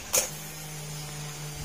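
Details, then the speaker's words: Honda Click 125 V3 scooter, about 2.5 years old, misfiring after hitting a pothole: click at key-on then steady low pump hum; fuel pressure reaches only 20 versus 42 maximum, weak failed fuel pump. "20 na pinaka- maximum niya pumapalo ng 42 ito hanggang 20 lang talagang papalya yan ibig sabihin sira na yung fuel pump"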